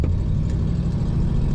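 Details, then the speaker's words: 1950 Mercury two-door street rod with three-on-the-tree manual: smooth, even low rumble, quiet at idle with rumble on throttle, no knocks or misses; oil pressure 30, temperature about a quarter up the gauge. "started up an idle right away it's nice and quiet till you get on the throttle then you can hear that Rumble a little bit"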